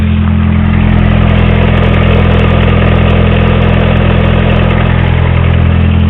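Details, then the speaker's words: 1984 Honda Accord at idle with a steady rapid knock about four times a second and heavy vibration; it also loses power while driving; owner suspects bad timing. "pretty sure you can hear all that knocking and my engines vibrating a lot now too so it's another sign of bad timing"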